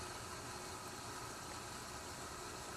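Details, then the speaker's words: PSK-100 protein skimmer on a saltwater aquarium, hooked up an hour earlier and still breaking in: soft, steady hiss of water and air with heavy bubbling and slight gurgling, no knocks or rattles; running quietly and normally. "listen for a second it's real quiet i've just hooked it up about an hour ago it's breaking in it's making a ton of bubbles there's a little bit of gurgling"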